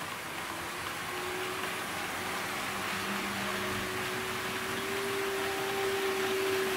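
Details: Trix 22764 DB BR 120.0 HO-scale metal electric locomotive in analog mode, Kato controller at 50% power. Constant whirring hum with a thin tone that climbs slightly then holds; runs smoothly, but the motor is loud, louder than newer models: noisy motor.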